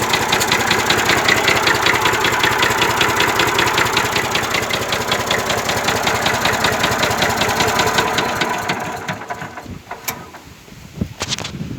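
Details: 1965 Massey Ferguson 135 diesel tractor idling with a steady sharp knock two or three times a second. It seems to come from the top of cylinder 1 or 2; the engine also breathes and spits oil from the dipstick tube, so a rebuild is likely needed.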